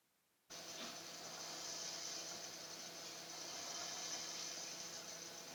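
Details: Refrigerator evaporator after leak repair and flushing, warm discharge pipe: steady, even hiss of refrigerant flowing with no gurgles or breaks; circulation clear and unblocked, normal flow.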